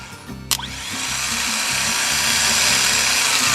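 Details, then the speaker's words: Junkyard starter bench test, case grounded, power from a jump pack to the motor terminal: a click, then a fast whir climbing to a steady high-pitched spin within a second; motor works fine and pulls strong. "That motor works fine. She pulls strong."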